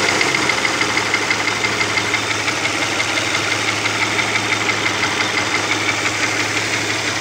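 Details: Opel Omega B engine at steady idle: light, sharp ticking of about three per second; exhaust camshaft knocking on the second cylinder head.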